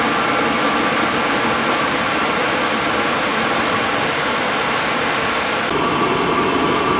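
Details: Cheap Chinese diesel night heater from eBay running at full capacity: steady, even burner and fan roar with a slight shift in tone near the end, no sputter or misfire. Normal diesel heater operation.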